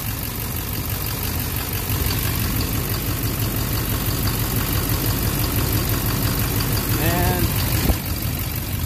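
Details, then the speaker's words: 2009 Silverado 3500 Duramax LMM diesel, 59,900 miles, intermittent knock since 57,500 miles: with cylinder 5's injector unplugged, steady idle with a dull even clatter and the knock gone, pointing to that injector; suspected, not confirmed. "not fun now it's back it's gone yeah it's gone the knock is gone if it's from left to right 1 2 3 4 number 5"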